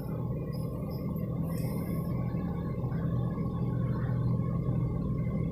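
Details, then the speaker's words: 1991 Toyota Kijang Super 1.5 manual, carbureted, just after a cold start: deep steady low rumble with the throttle held slightly open, slightly uneven beat; the engine stumbles unless the gas is held while cold. "tapi memang ciri khas mobil zaman dulu itu adalah kita tuh sambil harus ngambil menginjak gas dan itu masih tahan dulu biar mesinnya tauraka karena nanti kalau enggak Ratih keswara pincang mesinnya"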